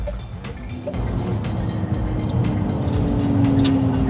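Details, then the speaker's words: Electric vehicle creeping at low speed: steady, loud droning pedestrian warning tone over low road rumble that swells as the car moves; considered far too loud and irritating in city driving. "Então, eu diria que esse ruído precisa ser corrigido. É bastante irritante porque você acaba dirigindo devagar com frequência, especialmente na cidade."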